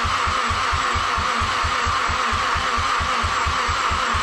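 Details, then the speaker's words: Mazdaspeed6 with alternator refitted and port injection disconnected: steady starter cranking with even compression pulses, a few beats a second, and it never fires; a repeat compression test was still very low, and a leak-down test comes next. "so guys unfortunately with the alternator put in there we had no luck starting the car and honestly I redid a compression test and it's still very low"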